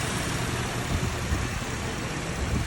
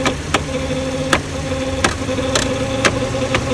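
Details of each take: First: Cadillac that had been overheating, after repair: steady, even engine idle with a smooth cooling fan rush, no knocks or surging; cooling fan running normally, car no longer overheats on test drive. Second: Cadillac with overheating, engine idling; radiator cooling fan with bad bearings runs slow with a steady whine and irregular clicks, heard via screwdriver held on the fan; tapping it speeds it up and stops the sound.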